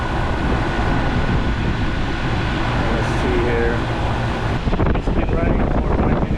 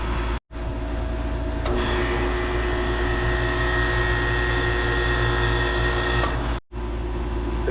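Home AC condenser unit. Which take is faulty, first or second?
second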